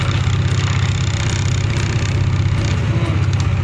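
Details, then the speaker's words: Skygo King Cab 200 single at idle after oil change, stator replaced for weak charging (was 13.1-13.2 V, now about 14 V): steady even thumping about four beats a second, no tapping; formerly noisy engine now very quiet. Normal idle. "Ito yung maingay, sobrang tahimik na ngayon ng makina guys."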